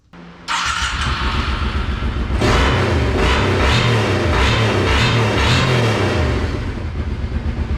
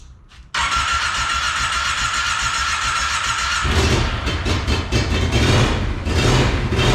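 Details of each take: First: Small engine from a four-wheeler, in a golf cart build, after a fuel pump replacement and the idle turned back down, with the choke off: smooth steady idle, even firing, no misses or hunting. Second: Monster golf cart build, first run after new fuel pump fitted: catches and sputters unevenly, then surges to lumpy high revs once choke turned off.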